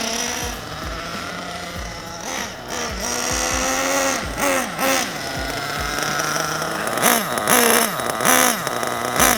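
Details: Basher SaberTooth 1/8 nitro truggy during break-in, temperature a bit below 200: a high buzz rising and falling with throttle in short bursts, soft and rich while cool.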